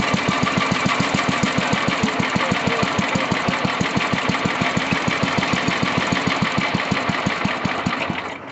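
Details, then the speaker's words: Old Sears Craftsman Suburban 12 hp tractor after carburetor fuel adjustment, idle screw turned down to see how low it would go: slow, even putt-putt of about five pops a second with no misses, then it dies away. A clean, very low idle. "That was fun. Just see how low we could idle that thing. The old school stuff. Purrs like a kitten, baby. She runs."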